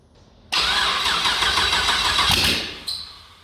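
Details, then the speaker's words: 6L LS V8 (LS2 or L77) with Turbo 400 in Mini Mog, first start attempt: sharp onset of fast, even starter cranking with a steady whirr as the V8 turns over; normal cranking. "Too scared. I keep reaching out the second it fires."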